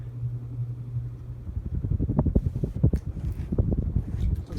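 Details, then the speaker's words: Harbor Breeze Galileo ceiling fan on high speed: steady low hum gives way to a pulsing, uneven low roar that rises and falls; blade wheel slightly out of alignment causing wobble, still moving good air. "And it's going pretty fast too. And it's moving a pretty good amount of air for a Breeze once again. This wheel is a little bit out of alignment."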